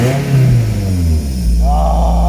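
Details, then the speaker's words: Toyota MR2 just started after a fuel tank system fix: loud, deep, steady low drone at idle, too deep to be normal; owner suspects an exhaust leak, with smoke and steam seen. "i don't think this is normal man it's too deep"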